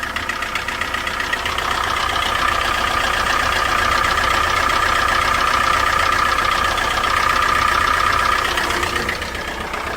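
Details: 2005 Gen One PT Cruiser engine, with heavy blowby and oil leaking near the oil pressure sensor after another shop's oil sender job: a steady, deep knock of about four per second over the idle, likely a worn bottom-end bearing; engine judged shot.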